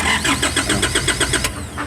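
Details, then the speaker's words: Foton Transvan with 4GB1 engine that stalled on a drive, no check-engine light and no ECU communication: starter turns it over at an even seven beats a second with no firing; crank no start from a failed ECU relay. "So ayaw siyang umandar. So pag ini-scan mo naman ano no communication yung kanyang ECU."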